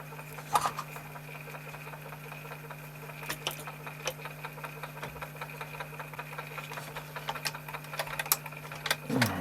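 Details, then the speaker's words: 1980s Technics RS-M260 three-head dual Dolby cassette deck, long unused and sold as not working, on the bench during check-over. The transport gives a steady low hum with scattered light ticks. The mechanism is starting to make a funny noise, cause uncertain. "something starting to make a funny noise noise that's probably what i' end up on the junk"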